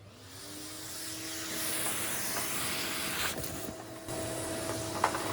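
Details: Numatic Henry HVR200 vacuum, after clearing a blocked silver pipe: steady rushing hiss with a clean, even tone holding its pitch; suction now flowing freely with nothing blocking the hose.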